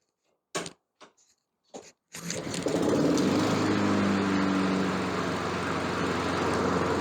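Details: Honda lawn mower that had no compression, after a valve job, some hammering and valve cover sealant applied; a few short pulls, then it catches and settles into a steady, even run with no knocks or misses; running normally.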